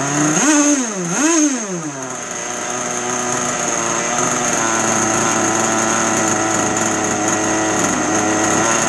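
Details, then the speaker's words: 2-stroke RC boat engine on a bench, not under load, after carburetor dial-in: two quick clean blips then a steady, even high-pitched buzz; throttle response now smooth, healthy running, acceptable bench setting. "All right, so that works pretty good. For a bench setting, I don't hate it."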